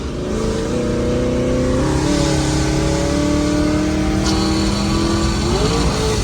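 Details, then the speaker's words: Automatic transmission slipping under acceleration: engine revs climb and hang in steps without a matching pull. It takes off in some gears but slips in many; owner suspects clutches and plans to pull the transmission; not confirmed. "you can see it's like it'll take off in some gears but it's slipping in a lot here so I really think it is a punches"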